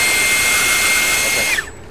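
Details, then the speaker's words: 10-blade EDF fan on a table, test run while balancing: clean, steady high whine with no wobble or buzz, then a smooth spool-down, almost no table vibration. Well balanced. "that's another good one yeah sounded better and the table had almost no no yeah no vibration to it"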